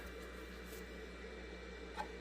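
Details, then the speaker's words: Red Bull VC206565008 Eco LED mini fridge with a cheaper aftermarket fan replacing the original 12V Jamicon sleeve-bearing exhaust fan: soft, steady airy hum with no bearing growl or ticking. Quiet, healthy fan. "That is very quiet. And you can see I don't know if I can show you, but you can see it down in there. It's on and spinning."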